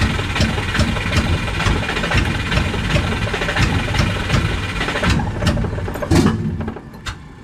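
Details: Subaru no-start, starter boosted by a 100 amp charger: uneven rapid cranking bursts about two and a half a second, never catches; it backfired afterwards and the owner suspects timing.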